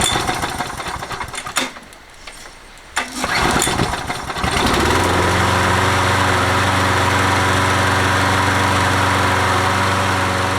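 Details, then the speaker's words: Toro 20789 mower, Briggs & Stratton Intek engine with hot-restart trouble: sharp backfire pops during pull starts after priming 4–5 times, then catches and idles steady. "T'entends les retours de flamme et tout ça quand on essaye de démarrer. J'ai essayé de réamorcer 4 fois, 5 fois on va dire le carbu."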